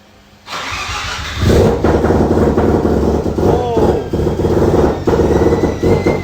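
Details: Mazda FD RX7 Bridgeport rotary with T51R single-turbo conversion, test run after confirming turbo oil supply and no housing scraping: loud catch into a rapid, lumpy idle with no scraping or rubbing; ran fine, turbo spooled down easily.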